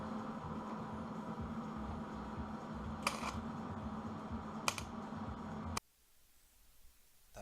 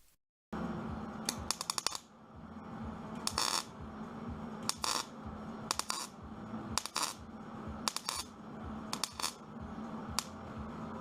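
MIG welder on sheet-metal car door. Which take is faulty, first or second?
first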